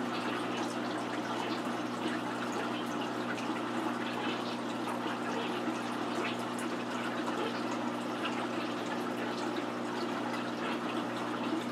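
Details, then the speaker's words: 125-gallon planted aquarium during a water change, water level below the surface skimmer intake: constant gurgling, bubbly hiss over a low pump hum; skimmer sucking air until refilled water rises above its intake. "So very shortly the level of the water will be above my surface skimmer, or it'll be above the intake of the surface skimmer, and therefore the surface skimmer will begin working properly and will stop sucking air in, and we'll begin skimming the surface properly, and we'll stop getting those bubbles and all that noise"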